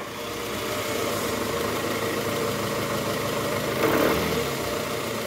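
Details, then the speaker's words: 2009 Toyota Harrier 2AZ-FE 2.4 L at engine start, AC on, in R or D: coarse rough rattle from the oil pan area swelling when revved, disappearing with AC off; worn, loose balancer shaft, later replaced. "Nah ini [Musik] [Musik] nih pagi dek nah [Musik] AC Off coba [Musik] Bang kalau AC off suaranya hilang guys karena enggak ada beban dari kompresor jadi ini kita ah cek Tadi indikasi dari balancer shf buny"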